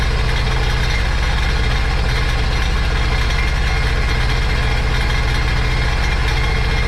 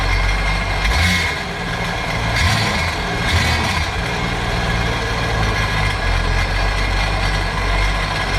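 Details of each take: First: Supercharged 2009 Sea-Doo GTX 215 jet ski bought with a locked-up motor, run on the hose after revival: rough, loping idle with uneven low thumps two or three a second. Cylinder 3 misfire from a cracked ignition coil. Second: 2009 Sea-Doo GTX 215 supercharged jet ski after replacing dead cylinder-one injector: steady, even drone with a couple of brief throttle blips, no misfire or stumble; running cleanly.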